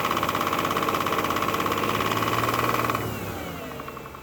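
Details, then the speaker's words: 2006 Bentley Continental Flying Spur, salvage car, running after oil pan reinstalled with fresh oil: steady rapid knocking about three per second from the bottom end, dying as it shuts off; suspected rod bearing knock, engine needs replacing. "Well, I'm not very pleased after hearing that noise, because it definitely does sound like it's something on the bottom end."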